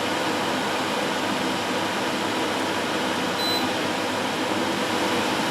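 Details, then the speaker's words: Amcor AC12 12000 BTU portable air conditioner in fan mode switched from low to medium speed; even, steady airy rush with no rattle or whine, one short beep as speed changes, fan running normally. "So that's the fan mode at its low speed setting. Medium."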